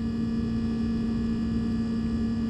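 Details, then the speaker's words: Sub-Zero refrigerator not cooling, with excessive compressor run error codes: steady low fixed-pitch hum of the compressor, which is over 200 degrees, with no fan air rush; condenser very hot because the condenser fan motor is not running. "cheat answer pull this thing out of bed compressor super hot condenser is ridiculously hot we got that error code that this was running for too long and it's overheating and I can see right now that the condenser fan motor is not operating"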